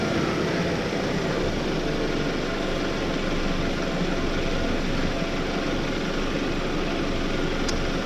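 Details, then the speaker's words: 1999 Toyota Camry idling steadily and evenly after air intake tube replacement; the earlier intake hiss is gone, so there is no vacuum leak. "well definitely I do not hear that uh hissing sound here from the intake that I heard before so definitely doesn't have that vacuum leak"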